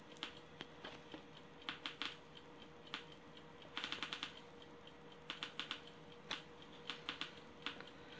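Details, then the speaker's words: DIY Geiger counter with STS-5 (SBM-20-like) tube clicks sharply and irregularly, faster than background, when uranium-oxide depression glass is placed near the tube; mostly beta radiation detected. "however if I bring something like depression glass such as this which contains uranium uranium oxide and if I place it near the tube you can hear starts clicking a bit more"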